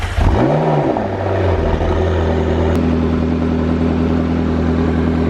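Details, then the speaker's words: Rebuilt McLaren after front-end collision repair (new bumper, radiator, tie rods), one of its first starts: cranks, catches with a quick rev flare, settles into a steady, even idle without knocks or rattles. Healthy engine, not very loud on stock exhaust. "Not that it's crazy loud, but it's got a nice sound to it for sure. Let's get in here. Yeah, it's got that McLaren sound."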